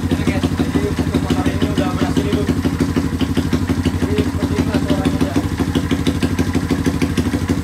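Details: Rare two-stroke motorcycle single, revived with a spark plug fitted, good compression and timing set at TDC: even putter at about three beats a second, steady with no misfires or stumbles; idling normally on its own without throttle.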